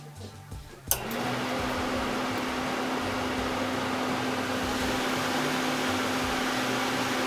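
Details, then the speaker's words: Suburban NT-20SE propane RV furnace in a tiny house, first test on temporary 12 V power. A click, then the blower spins up to a steady hum blowing cool air before ignition catches. A normal blower start-up. "Okay, so it's blowing cool air at me. Oh, you can hear it trying to start. Oh, we got fire."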